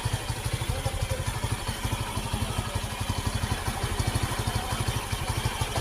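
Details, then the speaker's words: Easyride 150N single-cylinder carbureted motorcycle, dirty stock air filter (a possible cause of sudden stalling) replaced with Suzuki-type filter: idle thumps at steady beat, no misfire now; idles healthy. "Ah, wala na palya. Hindi na ito mapahiya nito."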